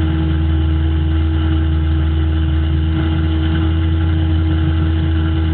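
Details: 1995 GT with aftermarket cam: steady high idle with a constant annoying humming drone; cause was a faulty idle air control valve, fixed by replacing it.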